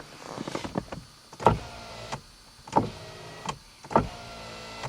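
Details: 1991 Mercedes-Benz 420 SEL power window tested with the replaced center console switch: clean, even motor whirs of about a second, stopping crisply with no grinding or binding, so the window works normally.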